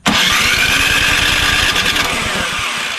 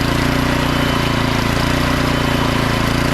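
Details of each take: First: Craftsman snowblower model 247.889571, oil full, good compression, electric starter: cranks at about four compression pulses a second with a few near-catches, choked and primed, but never runs; spark check next. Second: Craftsman snowblower model 247.889571, about 10–12 years old, after carburetor service: small engine runs at a steady even speed with a busy but regular exhaust note, no hunting or surging; auger and self-propel work, runs fine.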